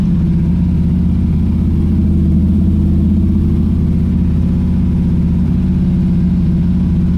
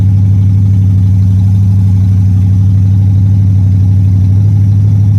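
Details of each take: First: Pontiac Strato Chief with new homemade exhaust, much quieter: steady low exhaust drone, then from about eight seconds sharp irregular pops and crackles as it backfires, confirmed out of gas. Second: Old Pontiac Strato Chief with a new home-built exhaust and the original straight-six radiator: deep, even note at a lively idle with no knocks or misses, running better than last time, though it previously overheated.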